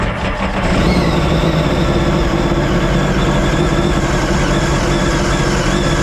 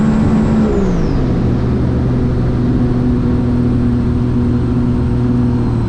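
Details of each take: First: 2017 supercharged Sea-Doo RXT-X 260 jet ski restarted inside the shop with water in the intercooler: a rough, uneven run with loose, irregular beats under the drone; the intercooler water causes the misfire the owner felt riding back. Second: 2017 supercharged Sea-Doo RXT-X 260 jet ski with higher-compression pistons, after the map-tuner fuel adjustment: revs settle from a higher pitch to a steady, even drone with a faint whir; normal running.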